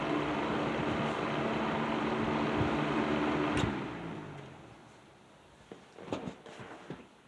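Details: Serviced Patton 12-inch box fan with black Patton-branded Fasco motor, low speed in a window: smooth steady low drone, no grinding, then winds down; bearings sound healthy, rattle reduced from before servicing.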